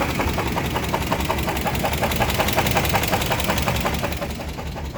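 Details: 350 engine with no bearing left on the #1 rod, restarted after cooling down: heavy regular knock at nearly three per second over a rough idle, severe rod bearing knock, though it also sounds somewhat like a lifter.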